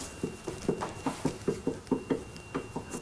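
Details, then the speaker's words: 1968–1991 Mercedes rear end clunk over rough ground: the rear sway bar to trailing arm ball-joint link, rocked by hand, gives dull hollow clunks from about an eighth of an inch of slop in worn ball joints. "got about an eighth of an inch of slop in the ball joints and it's going come clunk clunk clunk"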